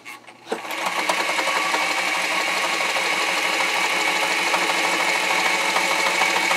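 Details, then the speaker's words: Singer 237 sewing machine run dry before its clean, lube and adjust service: fast, clattery run with harsh metallic rattle and chatter, sounding nasty and needing oil. "she sounds a little nasty."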